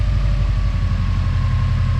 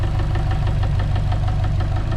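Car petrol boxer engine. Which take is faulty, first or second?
second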